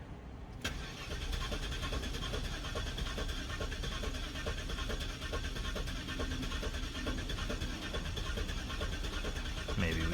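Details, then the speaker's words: 2003 Cadillac DeVille 4.6L Northstar crank no-start after spark plug service for misfires: uneven lurching cranking, some compression strokes weaker; relative compression shows one or two sporadically low cylinders, likely 5 and 7, cause unconfirmed. "i noticed that the engine did not sound normal while cranking over this seems like an obvious compression issue but it was somewhat erratic so i could not tell how many cylinders were dead with just my ears"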